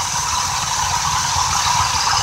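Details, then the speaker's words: Vintage Chevy P30 motorhome carbureted V8 after ignition parts replacement: settles into steady even idle around 750–800 rpm with soft hiss, no knocks, misses or stumbles. "that's what you're hearing is the Jets so she's idling at around 750 800 rpm"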